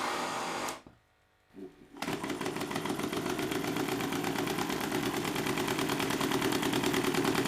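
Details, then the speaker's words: Homemade bicycle Stirling engine after adding stainless steel mesh, now 588 rpm versus 326: fast light metallic knocking about three per second each revolution; loose crank bolt suspected, wobble also seen in power-piston shaft. "Begitu mesin melambat, saya menyadari baut engkol ini kendur, yang mungkin menyebabkan suara ketukan."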